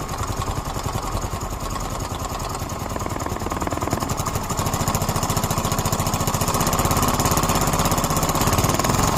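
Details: Yamaha Mio M3 automatic scooter engine running with a fast, uneven light ticking over the motor note, rising slightly as revs build; owner suspects valves, cause unconfirmed.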